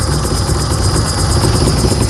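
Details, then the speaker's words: Zafira shaken on a suspension tester gives a fast, steady low rattle and knock from the front; holding the worn stabilizer bar stops it; tie rod end, axial arm and engine mounts also worn. "Realmente isso aqui é barra estabilizadora e é principal barulho."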